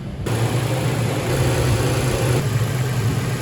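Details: Truck engine start after relocating oil filler neck for an oversized battery: catches immediately, steady even idle with no ticking, stumbling or hunting; runs properly, check engine light monitored, no leaks seen.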